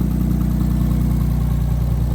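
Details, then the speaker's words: Audi A4 B6 3.0L V6 with straight-pipe exhaust, idling after ECU immobilizer bypass (alarm and hazards still active from the cluster immobilizer): deep, loud, steady burble at an even idle, no misses or knocks; normal idle. "Man, that thing sounds freaking mean."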